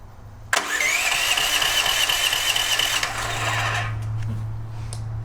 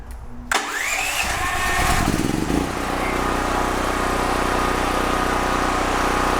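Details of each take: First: DuroMax XP13000HXT tri-fuel generator that runs on propane but not gasoline; catches on starting fluid, runs rough and loud about three seconds, then dies. No fuel delivery; water found in carburetor, jet possibly rusted. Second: DuroMax XP13000HXT tri-fuel generator on gasoline with choke, after repair: pull-start, brief catch, then smooth steady run with no misses or surging; normal start and run, voltage and frequency good.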